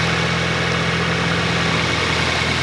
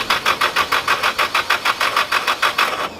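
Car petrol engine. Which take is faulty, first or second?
second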